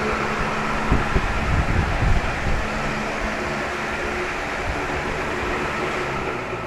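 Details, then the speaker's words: Crompton Greaves High Breeze 450 mm pedestal fan (1430 rpm, 100 W, 220–240 V) before servicing: steady rushing whir with a dry rumble underneath from worn motor bearings, which were then replaced with SKF 6202 RS bearings. "so now we'll we'll be tearing it down giving it a good wash change the noisy bearings and fix the next set of issues"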